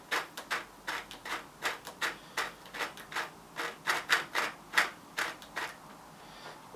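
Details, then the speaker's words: Old-school GT mountain bike bearing, rusty, spun by hand during restoration: gritty, uneven rasp in quick pulses about two a second, feels graunchy; worn, corroded race with a ton of play. "That sounds bloody awful. I know where I'm going with this. So that's alright, but there's a ton of play in it."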